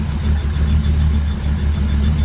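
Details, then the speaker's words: Small-block Ford V8 after fitting a new Proform HEI distributor in place of the points setup, timed, on a cold early morning. Lumpy, even low burble with a steady beat and no misses or ticks; normal healthy idle. "I timed it. Runs really good. Love it. All right, this is what she sounds like."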